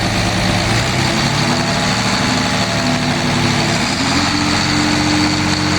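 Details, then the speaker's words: Mercedes Econic bin lorry diesel with suspected high-pressure fuel rail/fuel pressure problem. Steady, even idle with low rumble, no misfire or stumble; still running past when filter fuel would run out, so it seems to be pulling its own diesel through. "Now, I'd like to think it's now pulling its own diesel through, because it would cut out by now if it wasn't, because the amount of fuel that's in the filters, it won't run that long."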